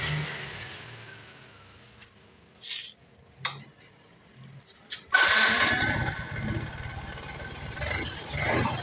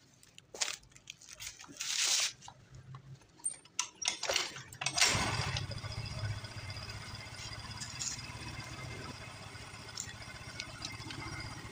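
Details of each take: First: Yamaha Mio M3 scooter at idle: quiet at first, then a rough, busy idle with light tapping from the cylinder head; suspected wear at camshaft, rocker arms and valve adjustment, checked next. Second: Yamaha Mio M3 scooter after camshaft and valve clearance repair for top-end ticking: after brief clatter, settles into soft even idle with no rough tapping; cause was the camshaft and valve adjustment.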